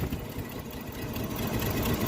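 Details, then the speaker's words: Classic auction car with EFI 3 L engine, a little cold; low, lumpy idle sagging and labouring once a part is removed. Very tired motor; vacuum leak from sitting suspected, not confirmed. "really LS down that's the signs of a very tired motor this little 3 l definitely needs uh some little help but it's possible to just like you know setting for a while there's probably some sort of a vacuum leak or something like that making run the way it is"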